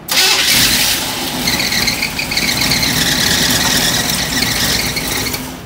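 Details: Old Dodge Dakota with Holley carburetor, after reconnecting a pulled-out wire, first start attempts: high squeal over the cranking engine throughout, thought to be belt slip or surface rust, not the alternator; belts later thrown on revving.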